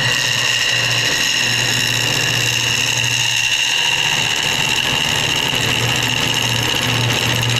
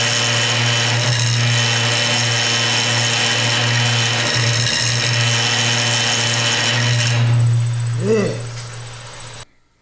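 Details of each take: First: Wood lathe turning a hard piece with epoxy and banksia pods, gouge cut with the bevel rubbing: even, steady hiss over a low motor hum with no chatter, unlike the earlier vibrating, skipping cut. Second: Woodturning a hard banksia pod and epoxy bowl on the lathe, volume at 50%: loud rough rattling hiss over the lathe hum as the gouge chatters, skipping on the cutter; riding the bevel reduces it.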